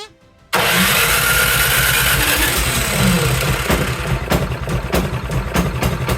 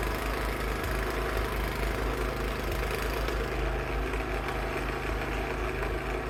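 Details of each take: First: Cub Cadet 524 snowblower that the owner says runs rough and smoky, started in neutral with a high-amp power supply in snowy, cold weather. The engine catches and runs loud and lumpy, breaking into uneven stumbles, running rough with the choke stuck on. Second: Cub Cadet 524 snowblower after repair for rough running, throwing snow in freezing weather. The small engine holds a smooth, constant drone under load with no surging, popping or stumbling; it runs properly.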